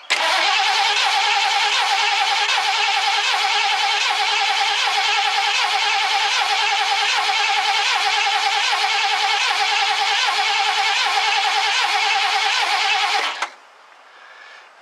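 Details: 1969 Ford Club Wagon van, with fuel apparently not reaching the engine: steady starter churning about four beats a second for thirteen seconds, never catching. Cranks but won't start; cause suspected, not confirmed.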